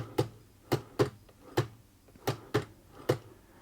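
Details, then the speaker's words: 1948 Singer 201K sewing machine, hand wheel turned by hand: sharp clack roughly every half second, a tight spot at the same point each rotation, otherwise turning freely; binding once per revolution, source being tracked via needle bar and hook. "it rotates completely freely until it comes around another rotation and it's tight there again and if we get some momentum up you can hear it"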